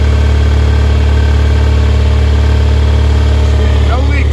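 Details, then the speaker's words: 1974 MGB after fuel system work, fuel pressure built: smooth even low hum with a steady beat about three per second, no misses or knocks; running well at idle. "so it sounds like I just built all the fuel pressure so I'm just going to give it a quick pedal and wow right up we got fuel flowing running good"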